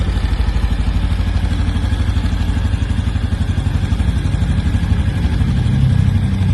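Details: New 2025 Honda Biz 125: a steady fast clatter of about four ticks a second rides over a low idle; engine noise present, cause unknown.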